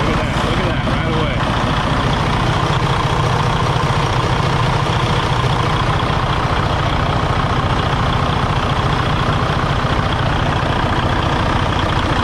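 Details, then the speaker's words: Freightliner Cascadia, likely a 2017, DD15 diesel, about 800,000–900,000 miles, needing frequent coolant top-ups with blow-by: lumpy, uneven idle with irregular stumble, running really rough; cause later found as failed number 3 cylinder liner from an over-fueling injector. "Definitely running really rough, man, really rough. All right, guys, so you can hear that. It does not sound good at all."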